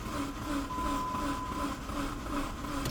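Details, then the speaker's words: 2005 Dodge Neon with a crankshaft sensor fault code, cranking during a compression test, gives an even but tiring whir at about three pulses a second with no firing; the starter is starting to limp as the battery drains. "Okay, I can hear it starting to limp because the battery's getting drained."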